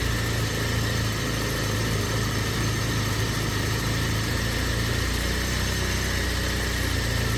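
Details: BMW E36 Compact, M4x four-cylinder, about 100,085 original miles, cold idle with no throttle just after start, no check engine light; low, slightly uneven pulsing under steady engine noise; rough idle that smooths when warm; owner suspects idle control valve, AFM tested working.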